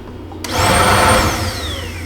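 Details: 2008 Buick Lucerne 3.8 V6 with P0412 AIR solenoid switching valve circuit code, secondary air pump heard: steady vacuum-like whoosh with a high whine that starts abruptly then tapers off; the secondary air pump is running normally.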